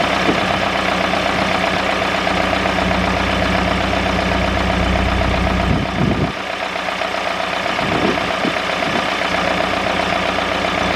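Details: David Brown 996 diesel tractor, left sitting about 10 years (since around 2012), first start after sitting: steady even diesel chug with a firm low beat and brief handling knocks, idling smoothly; normal idle, though throttle noted stuck.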